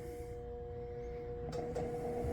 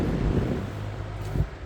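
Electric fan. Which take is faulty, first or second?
first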